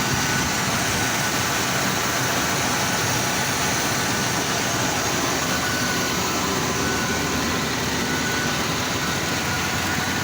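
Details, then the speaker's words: 1995 Chevy/GMC truck, first start after sitting about four to five years: even, settled idle with a smooth steady churn and no ticking, knocking or misfires; engine sounds healthy, though a brake leak is present. "let's see first time starting five years she sounds good"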